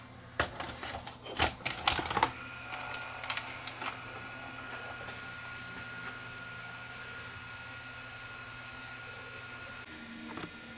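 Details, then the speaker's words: Panasonic PV-S7670 S-VHS VCR with several problems, powered up again after work on it. A burst of mechanical clicks and clunks, then the tape mechanism settles into a smooth, quiet, steady run, quieter than before. "I'm gonna plug it in again see how it sounds this time it's already sounding quieter"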